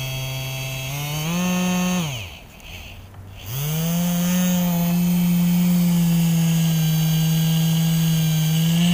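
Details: 12-volt dynamo upgraded and rewound with copper wire from an old washing-machine dryer motor: smooth high hum winds down, stops briefly, then spins back up to a steady even pitch; runs freely and fast after the upgrade.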